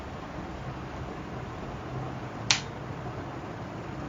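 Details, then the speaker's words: Household MCCB/fuse in the distribution box pushed down by hand: a single crisp snap as it drops straight down, with no sticking or hesitation. The breaker mechanism is healthy. "Okey, bunyi tak. Alhamdulillah, insyaAllah korang punya MCCB ni okey."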